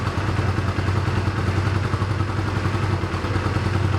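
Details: 1985 Honda Rebel with 2000 miles, first start after about 17 years stored, cold on choke, thumping unevenly with a loose clattery beat, can't rev yet; rough running on choke, cause not confirmed.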